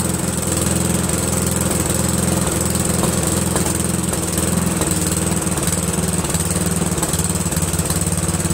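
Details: Briggs & Stratton 13hp flathead single-cylinder on an MTD Cub Cadet lawn tractor, after carburetor replacement; steady even drone with regular beat, no misses or knocks; running smoothly, owner pretty impressed.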